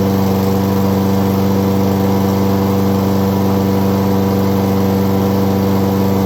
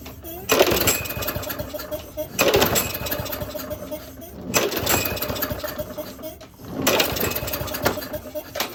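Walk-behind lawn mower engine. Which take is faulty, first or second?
second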